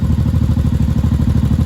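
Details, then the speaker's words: 1983 Honda Shadow VT750C V-twin after final assembly, with upgraded filter, fan switch manual: steady, even lumpy thump at idle with no misses, knocks or rattles; healthy idle. "idling good now apparently this thing doesn't have an automatic switch for the uh fan anymore so I'll have to flip that when it gets hot but right now she's idling good on the gas that's in there"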